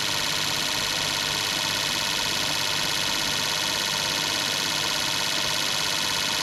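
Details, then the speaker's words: Fuel injectors on a bench testing unit during cleaning service, run through high-speed, accelerating, idling and medium tests, flow glasses within one to three; fast, crisp even clicking about 200 per minute with bright spray hiss, normal injector operation. "Okay, here's another test. High speed. Accelerating test. Idling test and medium test."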